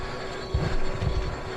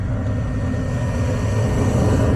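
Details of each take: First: Furnace on no-heat call: steady motor hum with rough heavy rumbling surges like a diesel; draft inducer motor failing, something inside it, replaced. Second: Gas furnace after replacing a diesel-sounding inducer motor on a no-heat call, pressure switch closing and burners lit: steady low roar of burners over an even inducer hum, then a few light clicks; firing normally.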